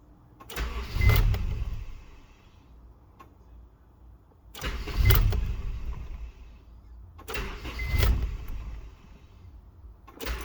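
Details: 1999 Honda CR-V with intermittent no-start and engine cutting off: three separate cranking bursts a few seconds apart, each fading without the engine catching and running.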